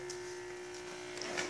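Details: Electrolux washing machine set to spin with the belt removed; a steady electrical buzz at one pitch with no spin-up, the motor is energised but does not turn and won't spin.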